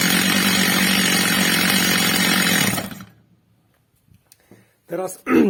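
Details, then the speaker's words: Stihl MS230 chainsaw, old and well-used, after new replacement carburettor adjusted, throttle pressed fully: screaming two-stroke held steady at high revs about three seconds, crisp without bogging, then cuts off; carburettor well tuned. "pierwsza co robiłem Zwiększyłem śrubą wkrętem regulacyjnym tel wkręcają delikatnie Zmniejszyłem dawkę paliwa obroty pilarki zwiększyły się"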